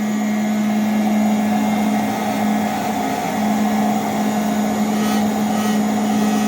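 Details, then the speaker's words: Steady motor drone with a constant low buzz, from a very old plastic top housing that the motor's vibration and heat have warped so it no longer seats properly. "you know the motor is up inside um you know vibrates this and also Heats this up over time and uh it just it's not seating very well and it's got a little bit of a buzz"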